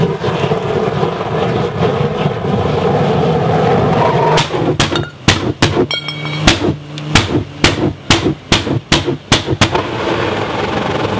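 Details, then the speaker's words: Oil-fired scrap metal furnace burner given too much oil and too little air, then air cranked up quickly: steady roar breaks into about a dozen loud sharp backfire bangs over five seconds, then settles. "this just goes to show you what can happen if you get busy filming and uh let your burner get a bit too much oil in it and then crank the air up real quickly it goes off quite"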